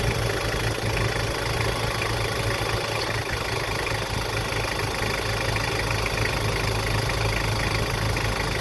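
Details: Toyota Prado at normal idle after the AC squeal fix: an even idle under heavy background hiss, with no squeal riding over it at any point. The belt and AC drive sound healthy.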